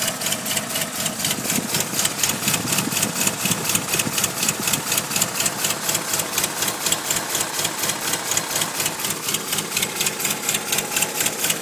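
Fast, very even metallic ticking rides over a quiet idle, steady in rate throughout; a rhythmic engine tick, cause not evident.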